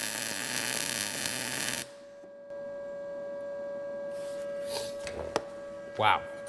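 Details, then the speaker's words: Arccaptain MIG200 inverter MIG welder at 20 V on an inside corner joint; steady, crisp frying sizzle for nearly two seconds, then a clean cutoff; 20 V judged the winner for the inside corner. "that thing welds pretty dang good I think 20 volts is kind of our winner as as far as the inside corner joint that weld's awesome actually"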